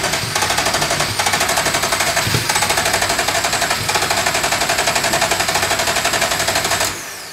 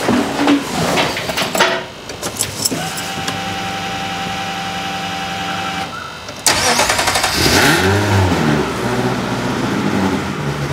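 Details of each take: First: Ferrari engine in an Alfa 105 (Alfarrari), start attempt with oil, spark and injectors working: starter cranks steadily about four per second with occasional coughs but no catch; cranks without starting. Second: Ferrari-engined Alfa Romeo 105 project car, early run after first start (no cam angle sensors yet, not warmed up): cranks, catches, settles to steady, much quieter even idle with exhaust valves closed; normal.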